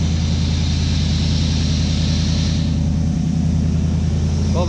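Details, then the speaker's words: 1955 Chevy pickup before timing-light adjustment: even, loping idle with a steady low burble of about three pulses a second, no misses; runs fine. "about a lot of work but I'm so happy to get this thing running it sounds good"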